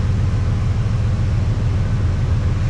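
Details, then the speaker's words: Truck that died on the road from suspected fuel starvation, just fitted with a new fuel pump and primed: deep, even rumble with steady beat and nothing rattling; engine running clean and healthy after the fuel pump repair. "I'm going to try and prime it oh yeah that sounds [Music] nice awesome you don't know how good that makes me feel right"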